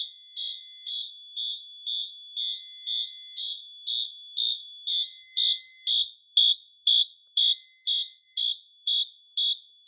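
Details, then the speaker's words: Notifier NFS-320C releasing system in pre-discharge mode after two cross-zoned detectors alarm: the AMT sounds its horn in fast march time, sharp blasts about twice a second, while the pre-discharge LED lights. "Once 2 or more detectors alarm, then the panel enters pre-discharge mode. The AMT will sound its horn tone in fast march time, and the pre-discharge LED lights up on the main panel."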